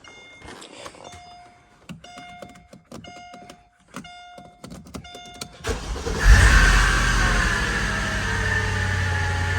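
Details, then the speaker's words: Mercedes SL55 AMG, M113K supercharged engine, first start after power steering pump install and ABC-to-coilover conversion: harsh rubbing screech that wavers as revs settle; supercharger belt slipping because it is contaminated with ABC fluid. "That sounds horrible. What is going on there? What is going on there? That sounds like a lot of rubbing. What is that?"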